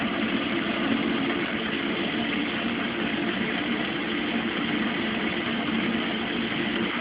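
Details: Mueller Special washer (Brazilian washer-dryer), cold-fill-only machine starting a 60°C quick cycle with a duvet, extra rinses; steady, even rush of cold water filling, no knocking, humming valve or grinding; normal water fill.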